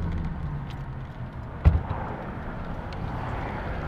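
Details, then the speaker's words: Restored 1936 Packard 120B idling: a very quiet, even low rumble, almost inaudible, with no vibration, knock or misfire and one stray thump. A smooth, healthy idle. "there's no there's no vibe nothing no vibration it's perfect idle actually didn't even know it was rending when you first"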